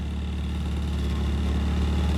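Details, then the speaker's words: 1985.5 Pininfarina Spider Europa, Bosch injection, cold start after weeks unused: revving with loud raw chuffing low rumble and rapid pulsing; exhaust leak because the resonator separated from the header pipe. "Now, you can hear that the exhaust has pretty bad leak right now. That would be uh because the resonator has completely separated from the header pipe."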